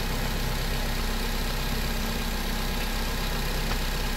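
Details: Nissan Livina four-cylinder after replacing a weak spark plug that caused misfiring (scanner showed no coil or injector fault): even, steady low hum with no stumbles or uneven beats; now idling smoothly, unlike before.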